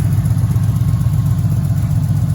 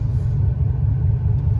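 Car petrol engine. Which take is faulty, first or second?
second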